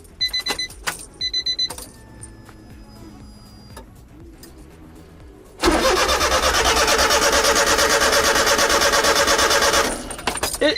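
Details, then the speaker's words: Honda Beat cranking on attempt after a new fuel filter was fitted, rancid gas present, and the battery charged to 80%: steady crank for about four seconds, never fires, crank no start; owner suspects electrical, a harness or ground. "It's something else. It's gotta be electrical."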